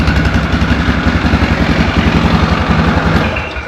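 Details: 2004 Yamaha Grizzly 660 single-cylinder, old, after no-spark repair and oil change: steady even thumping about eight beats a second, winding down at the end as it is shut off; healthy idle.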